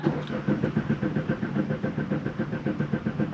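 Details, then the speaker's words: Car running with a bottle of pancake syrup added to the fuel tank, which ran badly and died: steady rhythmic cranking at about four pulses a second that never catches; crank no start, scan then shows evaporative emission and fuel system misfire codes. "oh uh-oh oh no it's cranking but now the engine's not starting"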